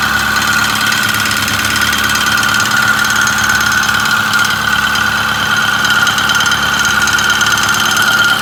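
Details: Ford 6.4 Powerstroke diesel at idle and 1200 rpm: steady metallic rattle over the engine with a constant high whine behind it; source not pinned down.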